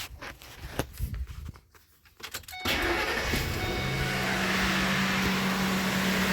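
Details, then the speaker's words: 2001 Ford F-150 4.6L Triton, warm engine, code P1506: cranks, catches, holds fast steady idle just over 1000 rpm versus desired 736 (should drop to 620–650); high idle. "okay so we're just going to monitor it you can see at the bottom it's desired idle 736 and it will continue to drop the engine is warm so it should continue to drop to 620 or 650 whatever the ECM wants to see and you can see the actual is a little over a thousand"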